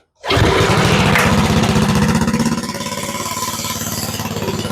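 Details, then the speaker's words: Go-kart with Briggs & Stratton Quantum engine after carburetor cleaning, started with a little choke: catches immediately, revs briefly, settles into even single-cylinder putter; runs smooth and steady, idle slightly high, then turned down. "Okay, that came out good. That motor sounds pretty steady. It sounds pretty smooth."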